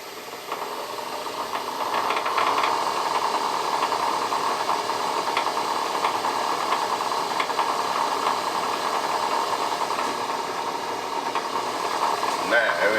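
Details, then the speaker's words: Myford lathe fitted with new Newton Tesla 3-phase motor on single-phase domestic supply, clutch engaged: steady even hum at constant speed, no knocks or grinding; much quieter than the old motor, running smoothly. "That's very impressive. That's much quieter than my old motor. Yes, I like that a lot."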